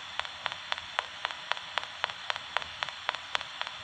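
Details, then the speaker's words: Homemade "Frankenstein" motor running on solar, battery or supercapacitor power, platform tipped to take the brush point out of contact; crisp, even ticks about four per second, nothing else underneath; normal reed switch opening and closing. "that takes away the friction from the brush point and all you're hearing is the reed switch opening and closing"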